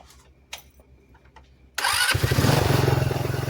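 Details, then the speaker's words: GY6 scooter CVT after disassembly to investigate a terrible noise and scoring in the case: engine fires and picks up into steady pulsing run, even drive noise, no grinding or clatter; CVT accelerating normally. "just a quick demonstration to show kind of how that works when you accelerate. You could see how the belt would pull it in, spring it that's down in here would move apart or collapse, which is pretty cool."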